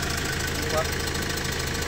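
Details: Hyundai Porter 2 D4CB Euro 4 diesel with low power, injector sealing washer leak: steady idle with rhythmic puffing knock each beat; compression blow-by past injector seat, injector washer replaced.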